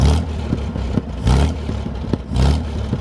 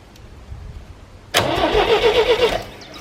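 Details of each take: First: 1973 GMC 432ci V6 engine, out of a parted-out truck and sitting unstarted almost five years, run after light prep: low, lumpy idle with a few throttle blips rising and falling smoothly, no knocking; normal idle with light revving, sound engine. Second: 1973 GMC 432 cubic inch V6, out of a truck, sitting unstarted almost 5 years, having trouble pulling fuel, fed from a can: cranking catches abruptly into rough uneven run for about a second; later runs without smoking.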